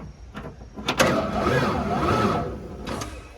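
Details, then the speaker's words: 1994 Ford F-150 that sat for years, said by the previous owner to be blown: uneven whirring crank between sharp clunks with no firing; turns over but won't start, possibly blown, cause unclear. "It sounds like it's spinning over, but the thing won't."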